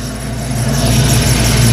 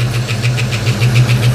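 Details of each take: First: 1989 Ford Mustang LX 5.0 V8 convertible, restarted after about three years down with rebuilt ECU: steady even low rumble, idling smoothly with no misses; a squeak possibly from the idler pulley. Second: 1989 Mustang LX 5.0 V8, first start after about three years off, new fuel injectors, warming up: quick evenly spaced light ticks about seven per second over steady idle; ticking noise at idle, source unknown.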